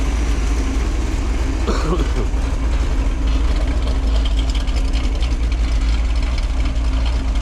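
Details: Freshly built 1968 Pontiac 400 with high-compression small-valve heads, being broken in after a failed cam swap and wrong intake were fixed; it has a new cam and a Melling oil pump. It idles down to a deep, steady V8 idle with a mild cam lope: normal.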